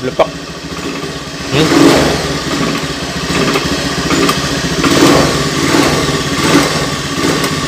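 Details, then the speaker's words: Honda Beat FI scooter: engine sputters and stumbles on throttle, still misfiring after cleaning; a burnt, peeled wire was found as the likely cause and was to be repaired. "intinya sudah bersih dan kita coba setelah kita bersihkan tadi ya ini dan ternyata hasilnya masih blebek"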